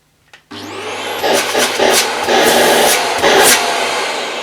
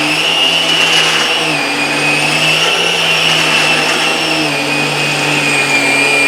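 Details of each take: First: Vax Air Revolve Pet bagless cylinder vacuum, switched on at the machine's on/off switch. The motor spins up quickly to a steady, fairly low-pitched whooshing roar with some handling and rubbing noise; it runs normally at full suction. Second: Vax Air Revolve Pet bagless cylinder vacuum, new and running for the first time, with the power head switched on alongside the suction motor: a high, wavering squeal rides over the steady motor rush. The power head wheels are squeaking.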